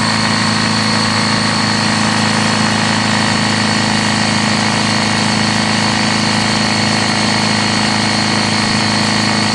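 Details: Honda GL1100 at idle: loud, even idle with a steady tap about three a second, rod knock with oil pressure dropping.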